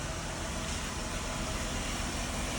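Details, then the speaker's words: Mercedes-Benz SLK rolling past after repair, steady road and engine noise with no brake squeak; the squeak came from a rusted brake backing plate letting the shoes float, now replaced with a new Mercedes part. "the noise has stopped. Now we can return the car back to the customer."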